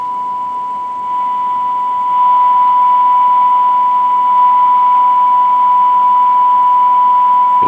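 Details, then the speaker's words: Used Cobra 2000 CB radio on a signal generator: steady test tone over constant hiss/white noise that shouldn't be there with so strong a signal; the receiver may be out of tune or faulty. "it's sounding kind of staticky hear that hissing noise in the background a signal this strong you shouldn't hear any hiss"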